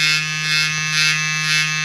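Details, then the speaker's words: Gobo magnetic hair trimmer running unloaded: harsh high buzz over steady motor hum, swelling and fading about twice a second, while the matching clipper makes no such noise; abnormal buzzing noise. "you hear that it's making a strange noise that's the only thing I don't like about this head trimmer but the Clipper doesn't make a strange noise"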